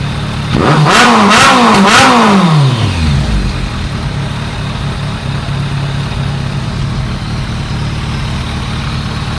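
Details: Warmed-up 2001 ZRX1200R four-cylinder, CVK carbs, pilot screws 2 5/8 turns (factory 2 1/4, jetted lean), idle lowered, phone-recorded: three crisp blips rising and falling cleanly, then smooth even idle, no stumble. Normal idle and revving.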